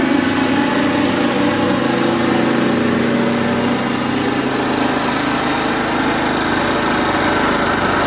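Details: Kubota riding mower, sat years after dying with a horrible noise, runs steadily with light uneven ticking keeping pace with engine; owner calls it a horrible lifter tick and suspects a slightly bent valve.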